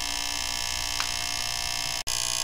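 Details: Fisher PC-19R90 15-inch TV, back cover off: loud steady high buzz like a rattle with many bright tones, briefly dropping out, heard near the relay but not the relay; fault was a bad capacitor near the relay.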